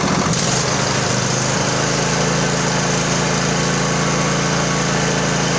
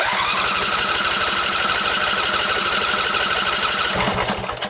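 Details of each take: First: Craftsman LT1000 20hp riding mower after carb repair, fuel solenoid now working, new plugs, primed carb, no choke: fires within a second then holds a steady even hum with throttle, no misses or surging; runs cleanly. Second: Craftsman LT1000 20hp riding mower, plug wires off, cranked to let the fuel pump prime the carb: steady starter whir with even cranking pulses, never fires; carburetor needs repair.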